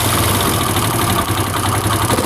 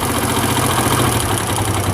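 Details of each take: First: CD70-type single-cylinder motorcycle (Chinese-made), after fixing a head/timing noise caused by a damaged cam sprocket: revs blipped and released fall back cleanly with no ticking on the overrun; the earlier noise on deceleration is gone. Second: Chinese CD70-type motorcycle: busy single-cylinder idle with a light, intermittent rattling tick from the head near the cam, heard over clutch noise while revving lightly; worn cam sprocket or timing gear.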